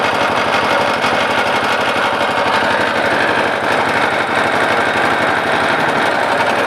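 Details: Lister LD1 single-cylinder air-cooled diesel, 4.75 hp at 2000 rpm, about 65-70 years old, driving generator: loud fast metallic clatter over steady beat; lift chain flapping, not internal engine fault.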